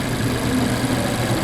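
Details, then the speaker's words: 2014 Mazda CX-5 2.0L, around 140,000 miles, no codes, idle with coils swapped: slightly uneven, lumpy beat with a dead-cylinder pulse dropping out, misfire on number two; coil ruled out, cause a faulty spark plug. "after doing that fire back up alright I'm lucky I got a dead miss again at idle so let's unplug number two and see what happens"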